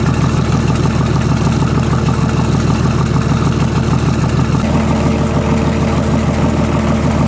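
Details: BMW/VM D190 marine diesel at first start after a rebuild following a broken valve, with a VM 2.4 liner, piston and head, idles lumpy, hunting and stumbling without settling; air drawn in past leaking injection pump front shaft seal.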